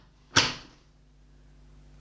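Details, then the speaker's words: Hot Labels A300 thermal label printer: one short, sharp click as the lid shuts, then near silence; lid latched, front light blue, printer ready. "it confirms it's ready to go if you look at the label if you look at the light at the front it's blue"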